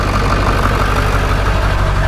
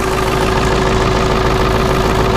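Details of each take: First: Ford 7.3 Powerstroke diesel, cut exhaust: starts up perfect, deep even diesel clatter at steady idle with no shake, miss or smoke puffing. Normal diesel idle. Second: Ford 7.3 Powerstroke OBS diesel needing two glow plug cycles, some blow-by, back pressure valve hiss on cold start; loud, uneven lumpy idle clatter from worn injectors.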